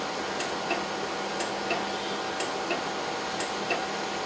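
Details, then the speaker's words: Acquity lab system, seal wash pump during prime: steady paired clicks about once a second, two distinct ticks each stroke, over quiet room hum. Two clicks mean the pump isn't primed yet; the second click softens once fluid reaches the pump. "my prime seal wash I want to listen for save 51 peg or two if I have two clicks that I'm not prying"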